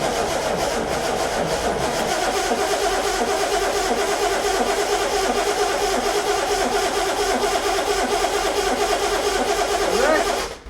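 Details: Engine cranks steadily for about ten seconds with no firing or catch, then stops, just as fuel starts coming through after priming; fuel pump is suspected (a known Scimitar weakness) and gravity feed is being rerouted, not confirmed.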